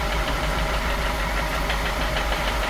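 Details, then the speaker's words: F10 BMW 550i, N63 V8, running: steady rapid knock strongest low in the engine, no misfires, timing faults or warning lights; piston striking crank counterweight. "Next, I try to isolate where the noise is coming from. When you listen closely, you can hear the knock strongest near the lower part of the engine."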